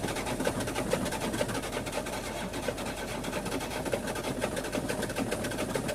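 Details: Engine cranks with an even rhythmic churn, several beats a second, but never catches or fires; crank, no start.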